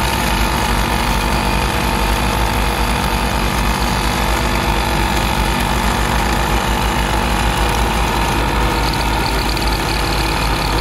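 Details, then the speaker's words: 15-year-old ARB CKMAT12 twin compressor on Jeep CJ over idling engine, airing tires to 36 psi: constant gritty marble-churning grind from one pump that blew its fuse; pump needing rebuild kit 320303. "there's something wrong with this compressor that's the one where the fuse was blown at the end of my uh attempt it started to sound a little bit like a marble mixer or a coffee grinder"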